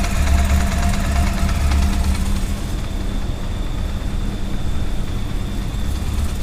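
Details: 2000 Honda CB400SF at cold start: uneven metallic rattle over the idle, loudest early and going away after about a minute; owner asks if normal, cause not pinned down.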